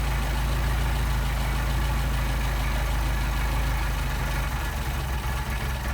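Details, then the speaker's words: Mercedes 190SL Solex carburettors on a test engine: a low idle that stumbles and loses its even beat as the idle mixture screws are turned in too far, a lean misfire from choking off the fuel, before the screws are backed out for best running. "choking off the fuel back it out got our best running"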